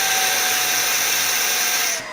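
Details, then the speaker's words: Shark upright vacuum with no suction: loud high-pitched rushing whine with a thin whistling note that shifts near the end, as the suction relief valve opens because the hose is clogged. "Okay, I already know already. I felt something. I heard something. Pop, like a pop."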